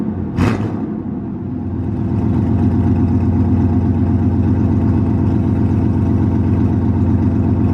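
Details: 1998 GMC K2500 idling after exhaust header work with ball-and-socket header connections: catches at once and settles into a steady, low rumbling idle with an even beat and no sharp exhaust tick.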